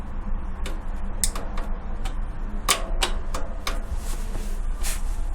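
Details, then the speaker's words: Bicycle pedal noise while pedaling: sharp, irregular ticks and clicks, several a second, over a faint hum; worn or loose pedal bearing suspected, and the cap broke during inspection, so the pedal was replaced, which seemed to cure the noise. "페달 소리가 나요. 페달 한번 보겠습니다."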